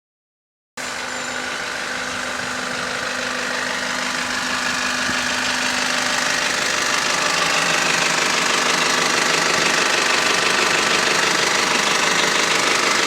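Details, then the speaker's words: Bus route 329 diesel bus (AL HV170): sharp, even metallic knock about three times a second over the running engine; abnormal knock, cause not found. "that bus shouldn't be making that noise but it is cuz it's a rever"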